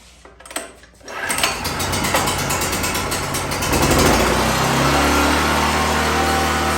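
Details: 2014 Black Max generator (97 hours, had a running issue, carb work), started on choke in cold weather, running a grinder: catches after a brief struggle, settles into a steady even drone holding its note under load; runs fine.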